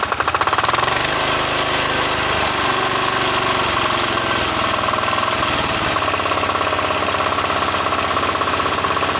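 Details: Single-cylinder diesel that wouldn't start, after refitting the injector pump and nozzle and bleeding fuel from the line: catches and settles into a steady, even chug with no misses; running normally.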